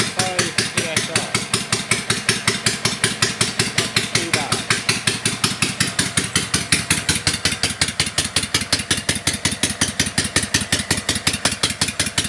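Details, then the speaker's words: Kawasaki FD620D V-twin in an Argocat after partial engine rebuild (oil pressure light wasn't going out), very cold day, fired up without choke; oil pressure reading about 65. Crisp even exhaust pulses, roughly five a second, no knocking or misses: normal idle. "Sounds like it's fired up without any choke. We're looking at about 65"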